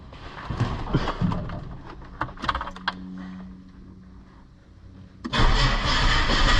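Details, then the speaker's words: Ford XF Fairmont at first start after replacing an undercharging alternator and fitting a new battery: brief crank, then catches into a steady, even idle with no odd knocks or squeals and no dash warning lights. "Make sure it looks good and not making any weird noises or looking sus."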